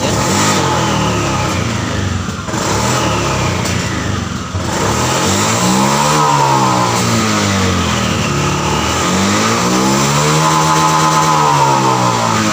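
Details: Honda Vario FI scooter revved in repeated sweeps, stumbling and breaking up near the top like fuel starving; high-rpm misfire traced to the TPS throttle position sensor.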